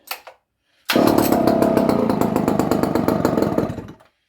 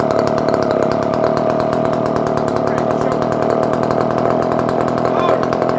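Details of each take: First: Barn-find Dolmar 118 Super two-stroke chainsaw, circa 1970, stored in a barn for years, quick cold start: rough, uneven lumpy idle with wavering loudness; choke not helping; owner thinks carburetion is a little off in idle mode. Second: Circa-1970 barn-find Dolmar 118 Super chainsaw, cold started with choke after a few pulls: fast even two-stroke buzz at steady high speed, no stumbling or misfires; runs well and oils, idle somewhat rough.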